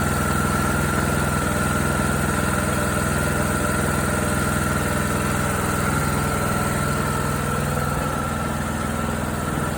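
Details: John Deere D105 with Briggs & Stratton Intek 17.5HP, which seized from oil starvation while mowing; after circulating oil and fitting a new Champion RC12YC plug, first restart runs at steady, even speed with no knocks or misses; smoke later seen from dipstick tube.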